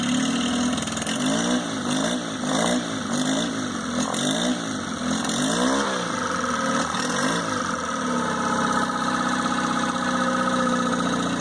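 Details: 2002 Mercury 15hp four-stroke outboard, first start after storage and a lower-unit fluid change, on earmuffs in neutral while warming up: it revs up and down a few times, then settles into a steady even idle with water splashing. Runs clean; normal idle.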